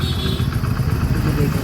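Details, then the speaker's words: Hero HF Deluxe single-cylinder bike at idle after crank noise repair with quality parts, started on a weak battery; soft even running with a steady low thump and no knocking from the bottom end; a healthy, smooth engine. "दोस्तों, इसकी आवाज़ कितनी अद्भुत है! यह मक्खन जैसा"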